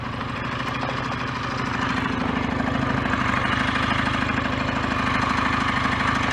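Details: BSA A10 Super Rocket 650 parallel twin at fast warm-up idle without choke after carburettor fix: dirty needle cleaned and raised two grooves to middle of five; steady even beat, no misfires, running well off choke as complaint required.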